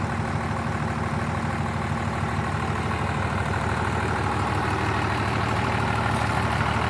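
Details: 12-valve Cummins diesel swapped into a 1967 Ford F100 idling: even deep rumble with steady low clatter, no misses or knocks; judged to sound good.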